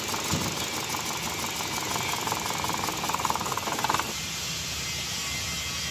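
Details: Car engine with no pickup and a missing complaint, before coil and injector checks and overhaul: uneven idle with an irregular stumble and light rattling ticks instead of a smooth beat; engine missing on a cylinder.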